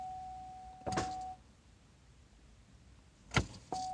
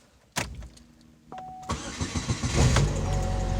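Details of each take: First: Pontiac Grand Am towed in as no-crank, starter previously seen covered in oil: key turned gives a sharp single click with no cranking over a warning chime; starter smoked and smelled burnt, starter suspected. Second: Pontiac Grand Am towed in with a no-crank and an oil-covered suspected starter. After the repair it cranks briefly, starts right up and settles into a low idle, though it sounds rough.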